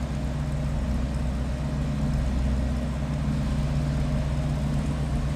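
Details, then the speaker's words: 1949 Buick Super Convertible inline-eight, heard from the rear at idle: low, smooth, even idle with soft steady exhaust beat, no ticks or knocks; quiet, healthy normal idle. "Slip around to the back so you can hear this run. That inline 8 is pretty quiet."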